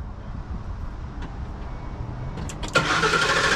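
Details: 2010 Ford E250 cranking without starting. The starter churns steadily at about three and a half turns per second but never catches because no fuel is delivered. Cause found as an open fuel-pump relay ground, after a high-resistance starter wire was repaired.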